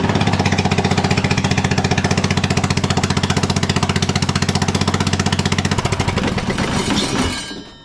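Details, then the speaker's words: John Deere L108 riding mower, single-cylinder engine, deck slows while mowing: loud, rapid, harsh popping while running, then dying away; exhaust unattached on one side, muffler bolts loose; exhaust leak and loose engine mounting. "Everything worked, but this is what's happening as he's mowing along. Now I said, well, have you done anything to this? Because the first thing I noticed, the exhaust isn't even attached on this side."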